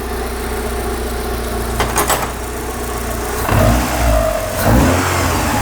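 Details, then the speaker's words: Lotus Elise S1 laid up 10 years, head refitted with new uprated head gasket, new plugs, cap, rotor and leads, fresh oil: first start, settles to steady idle, two revs dropping back cleanly, even firing; sounds healthy. "Well, hey, that sounds sweet. This was a big risk, buying it without hearing it."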